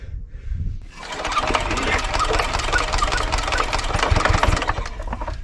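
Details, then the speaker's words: 1970s Hatz single-cylinder diesel compactor roller, long unused, fuel system bled, hand-cranked with the compression release reset: quick uneven thumps, almost catching but never settling into a run; cranks but will not start. "it's real close oh closest one yet"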